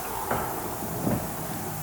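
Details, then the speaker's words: Crash-repaired Aston Martin front end: two dull separate clunks about a second apart when turning the steering; steering shaft disconnected to isolate it, shaft seen moving with missing bushing in the column. "If we disconnect the steering shaft, does it still make the noise? Because if it still makes the noise, then it might just be the shaft."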